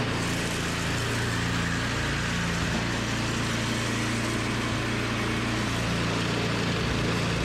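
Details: Toro 521 snowblower fired up after replacing a blown drive belt; new belt fits tight. Small single-cylinder engine holds a steady, even buzz with no slipping, squeal or knock; running normally after repair.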